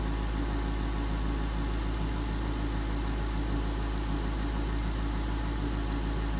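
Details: 2011 Ford Mustang GT 5.0 Coyote V8 with Roush exhaust at first start in an echoey garage, after all eight rod bearings (King CR868SI) and TTY rod bolts were replaced and 5W-30 added: smooth, deep, even idle burble; earlier tick gone.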